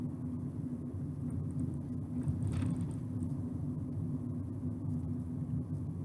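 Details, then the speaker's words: Ford Ka road test at 20 mph after near-side (left) front wheel bearing replaced, NVH accelerometers: low, even road rumble with no growl or speed-rising hum; bearing sounds healthy. "so left hand front wheel bearing replaced and we're at 20 miles an hour now"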